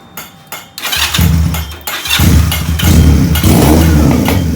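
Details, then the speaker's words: Benelli PE 250 FI single-cylinder: catches after a few cranks, then idles lumpy and surging with uneven revs; original MAP sensor confirmed faulty, fixed by fitting a Suzuki Futura unit. "Jadi bisa dipastikan ya sekali lagi bahwa sensor mapnya punya Benelli ini sudah tidak dapat digunakan ya, atau error ya. Makanya kita akalin punya Suzuki Futura."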